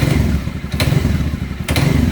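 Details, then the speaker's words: Dafra Horizon 150 (CG 150-type engine) under throttle rise, idle and mid rpm fine: low thumping with sharp metallic clacks; balancer shaft rattle from counterbalance play, damper springs to be replaced with original Honda repair kit. "muito bem senhores aqui ó olha onde que é o provável barulho Olha a falga aqui do contrabalanço do virabrequim Então a gente vai desmontar ele"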